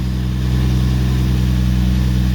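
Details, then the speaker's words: Toyota Mark 2 1JZ turbo six after a compression test with lower than hoped numbers: steady smooth exhaust drone with firm even pulse, no ticks or knocks; runs evenly, boost thought to peak about 1.14 bar, sounds healthy. "nice smooth healthy exhaust note makes plenty of boost"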